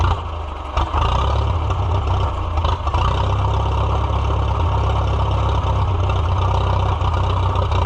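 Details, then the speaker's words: Farmall F-12 on steel wheels, an auction find being revived with the air tube off and clean gas added (rust in tank, possibly in carburetor; choke works reversed): low chug wavers and dips, then dies; suspected fuel delivery trouble. "I was just about ready to drive it and then it died. My choke is not doing the thing right."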